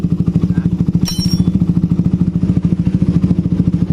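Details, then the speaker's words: Suzuki Satria FU 150 single-cylinder engine after valve clearance adjustment, idling with the exhaust covered: even, steady, soft pulses with no valve ticking; the engine sounds smooth and healthy. "Lembut suaranya."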